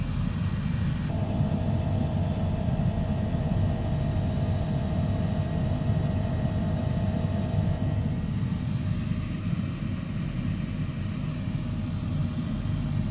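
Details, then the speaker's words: Oil-fired commercial boiler previously locked out on an E5 fault, now restarting after repair: pre-purge, pump running, nice blue flame, steady low roar with faint constant hum, no surging; normal burner operation. "starting to run does a pre Purge pumps going there nice blue flame in there"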